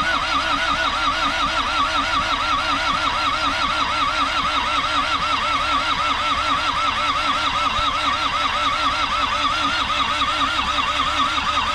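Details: Isuzu P'up turbo diesel four-cylinder mini truck sitting 28 years, injectors bled, fed dirty parts-washer fluid: steady rhythmic cranking about one compression beat per second for twelve seconds without firing; cranks, no start.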